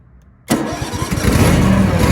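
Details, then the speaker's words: Cub Cadet LX42 XT2 Enduro lawn tractor, model 13AZAICS010, fuel-injected Kohler twin-cylinder engine, restarted with clutch pressed: quiet, then catches at once and settles into a steady, even low run with no stumble; clean, healthy start. "When you start it up, it'll actually fire right up and run when it's operating correctly."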